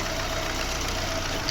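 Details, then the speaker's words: VAZ 2115 1.5 engine at about 270,000–300,000 km, fuel pressure about 2.2 bar at idle, new MAF sensor, warming up: a short stretch of steady, even idle with light valve ticking and no stumbles; it runs normally, poor starting possibly from an old battery. "Ось і все так працює наш двигунчик пробіг 270 під 300 000 уже його"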